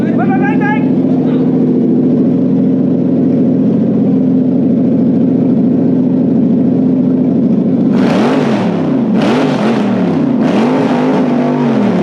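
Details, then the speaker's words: Toyota 3UZ V8 on stock ECU with plug-and-play adaptor, relay and fusebox setup: steady even idle, then three clean rev blips climbing and falling smoothly, no knocks or misfires; normal revving. "oh that'll do it sounds good though hey it does it sounds like a b you can you can hear how much more horsepower a threes it makes"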